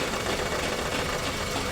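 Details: Maruti Suzuki WagonR K-series with the check engine light blinking and oil consumption: ragged, uneven running with irregular stumble and rough clatter; cylinder 1 not firing despite coil receiving current; spark plug checked, head and ring work suspected.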